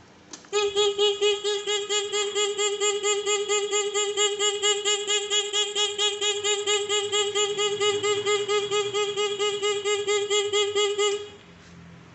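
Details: Motorcycle fitted with anti-theft switch wired to a used horn, triggered when ignition key is forced: horn blares in rapid even pulses, about two per second, for about ten seconds; anti-theft alarm triggered.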